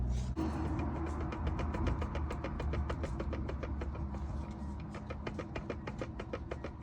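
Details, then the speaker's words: VW T5/T6 DSG van, driveshaft rocked by hand: quick even clacks about three a second from gearbox-side inner CV joint, suspected worn; felt slack lifting off accelerator after long towing trips. "You hear that? You don't get it from listen, so it sounds to me like that in a boot is knackered or something like that. So basically means I need to change this in a CV joint."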